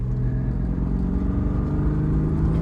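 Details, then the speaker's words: 1995 BMW M3 (E36) with cold air intake, tuning unknown: smooth even inline-six growl climbing gently under throttle, no knocks or misses; engine running healthy. "It sounds amazing."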